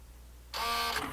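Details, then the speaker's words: Sony MDP-333 laser disc player, spindle motor getting no voltage from the board: brief whirring buzz as the laser sled seeks back and forth, then nothing. Disc never spins and the player keeps hunting and focusing. "but it's still not spinning the motor and there is no voltage on the motor supplied by the the board you is just keep hunting keep focusing but it doesn't spin"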